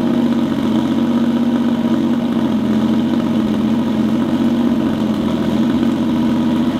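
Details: EG33-swapped Subaru WRX STI on a Haltech after fitting a Hall-effect crank sensor, verifying 87° TDC offset and new plugs gapped to 0.026 in; steady, even, crisp idle and rev with no misses, knocks or stumbles; normal running.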